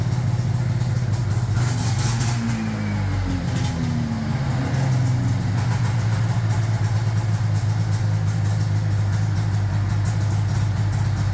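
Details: 1981 Yamaha SRV 540 two-stroke snowmobile after carb cleaning, new plugs and skid reinstall: starts and settles into a steady, low burbling idle with no stumbling or dropouts; running fine.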